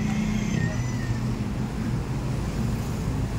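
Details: Flood-damaged Toyota Vios with check engine light and stalling: steady low idle with slightly uneven, stumbling beat and hesitation; upstream oxygen sensor reads 1.275 V, above the 0.1–0.9 V range, indicating sensor malfunction.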